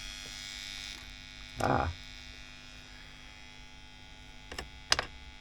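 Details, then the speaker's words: WEM Musette Mk 2 valve amp during service: steady low mains hum with inputs grounded and tubes swapped, so not from the inputs or tubes; old bulging capacitor to be replaced, hum source still unfound. "so the inputs are grounding it's just a very noisy noisy amp so it's not coming from the inputs"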